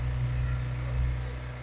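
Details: Kohler marine genset on a boat, test run with the shield off after a spark plug change for a low-output issue, with no load applied yet. A steady low hum with even firing and no knocks or misses. Normal running.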